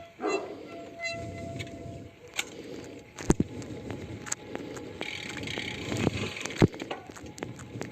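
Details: Specialized Venge Pro 2019 with Vision SC 40 disc wheels (from an Orbea Orca OMX) on Dura-Ace rotors and calipers: a brief whir, then irregular ticks and clicks after braking. It persists on a second wheel pair and is absent with Novatec and DT Swiss wheels; cause unknown.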